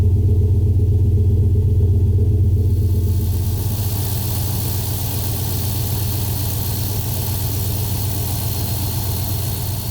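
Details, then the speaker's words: 2020 Ford F-350 Super Duty with the 7.3L Godzilla gas V8, idling after repair of a squeal from the front belt and pulley area. The rumble is steady and even, with no squeaks left. "But yeah, I don't hear any squeaks, so looks like we're good."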